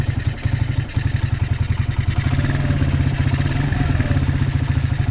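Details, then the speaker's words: Honda GL100 CDI before its rebuild, with weak power and compression that is not very tight. A fast, even clatter rides over a low idle thump while the head sounds fairly quiet. The noisiest part is said to be the clutch, and the carburettor runs erratically. "Ini ngacau nih. Nah, itu suara mesinnya. Ee yang paling kedengar itu suara berisik dari kopling ya."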